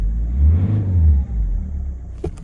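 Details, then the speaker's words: Citroen C5 diesel, cold, with EGR blanked off and some petrol still in the fuel: after its best start yet it's revved to clear, giving a deep, clean rev that rises and settles smoothly with no miss or knock. Owner suspects an injector is still down. "It's cleared now. Best thing to do with a cold engine is rev."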